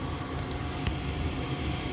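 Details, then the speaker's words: Goodman gas furnace heard close up during a 3-blink lockout: a steady, even inducer/draft-fan whir with no ignition click or flame. Pressure switch stuck open from a clogged inducer port. "So, you hear this motor is turning on, but nothing's going on."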